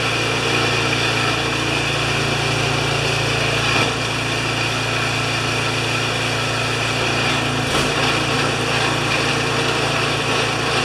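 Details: Craftsman 24-inch 9HP snowblower that came in not running, now started after repair: steady, even small-engine buzz holding constant speed for ten seconds, no misses, knocks or hunting; running healthy.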